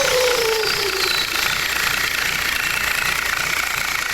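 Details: Turbo test after fitting an uprated turbo housing: loud airy hiss with a high whistle sliding down as revs drop; normal turbo whistle.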